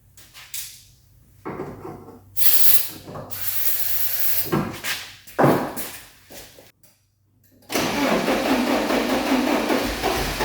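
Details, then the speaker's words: 1986 Porsche 944, unused for at least 10 years: hissing starting-fluid bursts, then it cranks and coughs without catching. Spark and injector firing are present; the owner suspects plugged fuel injectors. "It's the fuel injectors, I bet. Well, we got it to stutter."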